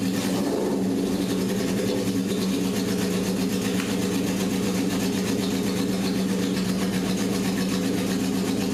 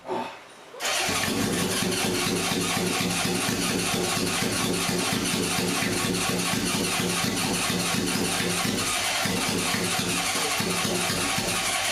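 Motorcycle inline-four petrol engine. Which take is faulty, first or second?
second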